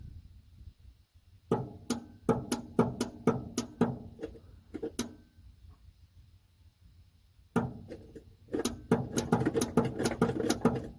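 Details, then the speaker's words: 1971 Ford F100 V8 long-sitting revival with a freshly charged battery. Turning the key gives bursts of sharp clicks, about two per second, with no cranking. "Nothing. Clicks. And nothing happens."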